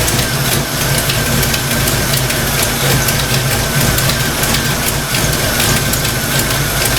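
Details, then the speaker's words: Fox Mustang V8 idling while warming up after thermostat install, oil pressure steady: lumpy idle with light, fast clacking in time with the engine from the valvetrain, owner suspects stock rockers. "Yeah, you know, it almost sounds like that, the clacking noise coming from the valve range. I bet you this thing's got stock rockers on it."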